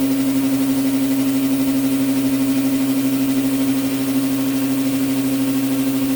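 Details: New Orazio air compressor on its first test run after unboxing, with air hose and blow gun connected and filling toward 8 bar: steady mid-pitched hum with an even pump pulse of about three beats a second; running normally.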